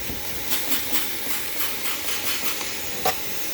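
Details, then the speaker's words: Mopar engine with headers, engine running: air blowing sideways out of a small leak at the exhaust manifold-to-head gasket joint, found while feeling around after earlier header-to-pipe gasket repair. "as you can see it blowing sideways out of there right sort of george"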